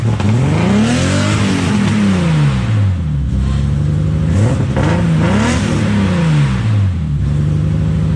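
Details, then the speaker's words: BMW E30 325is run for the first time after years sitting outdoors, started after jumping power to the fuel pump wire from another fuse; engine revs up and drops back smoothly, pulling cleanly with no knocks or misses, though smoky. "Alright. She runs. She's smoky. But it hasn't been run in years. I mean, for the amount of time this car has been sitting, I'm psyched."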